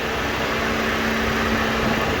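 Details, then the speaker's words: Nissan S12 200SX electric cooling fans tested at accessory via the old temperature relay after fitting an S13 aluminum 3-core radiator; smooth constant whoosh at full speed, no rubbing or ticking, turning the clutch fan; fans work fine. "Sweet. Alright, so that all still works. Happy with that."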